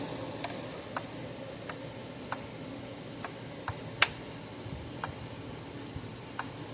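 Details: Zareba 3-mile solar fence charger, 0.05 joule output, older unit, around 10,000 volts on the meter: sharp dry clicks about once a second over a quiet background, pulsing normally.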